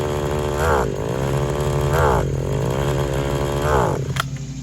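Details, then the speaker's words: Used RedMax two-stroke edger after brief warm-up idles, but each throttle blip rises briefly and falls back flat, too much gas kills it; bogs under throttle, owner suspects cracked carburetor diaphragm or flooding. "see this is all it'll do it'll idle try to give it gas won't take it"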